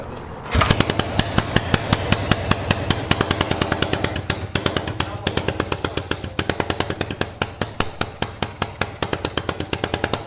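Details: Yamaha XS650 first start in 25 years after refitting stock carbs and finishing wiring, kick-started: crisp evenly spaced twin-cylinder pops at steady pace, no misses or knocking; normal running.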